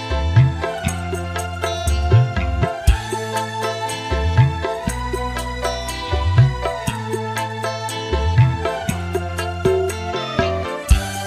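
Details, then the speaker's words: Polytron PAS 68 active speaker that shut off by itself after about 15 minutes when hot, tested with music after repair of a cracked solder joint. Clean, full sound; the earlier hoarse midrange is gone. "Di sini untuk suaranya normal teman-teman, normal, jadi tidak serak, tidak ngebret. Dan untuk suara seraknya tadi juga sudah hilang ya teman-teman."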